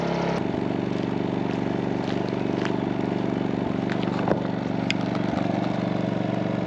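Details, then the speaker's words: MaxPeedingRods 3200 W inverter generator, eco mode off, full speed after sitting three hours; about 74 dB exhaust toward listener, roughly 2 dB less pointing away; even, steady beat, no misses or surges; normal running. "we'll say about 74 decibels with the exhaust pointing towards us you lose about two decibels with the exhaust pointing away from"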